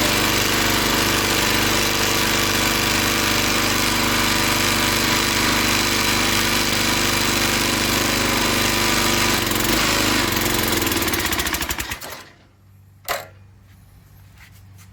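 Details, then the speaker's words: Log splitter small single-cylinder engine pulses evenly, about 214 beats a minute, then bogs and dies under hydraulic load; carburetor and governor suspected, more suspected beyond that. "all right so i didn't have a log in there but you get the gist of it the engine dies"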